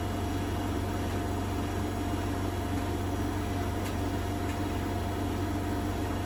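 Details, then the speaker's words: Bosch WFP3300 washer with new bearings, bearing seal and door seal, high-speed spin: steady low drone with faint buzzy rattle; owner suspects a panel rattling. "Maybe interesting to know which panel is rattling. Some bit of it must be rattling a little bit."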